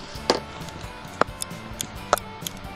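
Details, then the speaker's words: Caravan bathroom basin tap after replacing microswitches and knob: sharp isolated clicks as tap turns on and off, switch making clean contact to run the 12 V submersible pump; working normally. "there we are so that's uh that's making contact now so it's good and you can see as i turn as i turn the tap round to the off position the switch is out and then as you turn it around you'll see it just make contact there"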